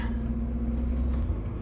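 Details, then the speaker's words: 1992 Toyota Pickup 22RE, 2WD manual, driving after new headers/exhaust fitted to cure highway drone: deep even low rumble, no boomy drone or rattle, a little rowdy; healthy exhaust note, much better than before. "oh this is so so much better sweet already sounds a little [Music] [Applause] rowdy"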